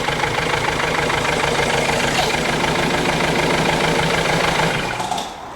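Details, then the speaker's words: Ford Transit diesel, hard to start, shaking and missing badly with no power: uneven, lumpy idle stumbling about three beats per second; injector fault suspected, leak-off test to follow. "As you can see, it's really, really shaky. There's no power and it's just not running very nicely."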